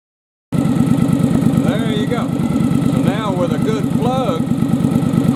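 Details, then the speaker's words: Yamaha Virago bobber twin after replacing fouled front spark plug: steady even idle, both cylinders firing with a regular beat near three per second, then throttling up cleanly; running normally. "ah suddenly i'm hitting on two again [Music] throttling up good so now i got a good plug that's firing"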